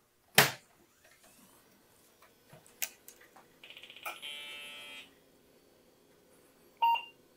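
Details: Full tower Windows 95 PC after replacing the Varta CMOS battery with a new one: power-on click, fan and drive whir, one short beep, clean boot straight through with BIOS settings kept after an hour.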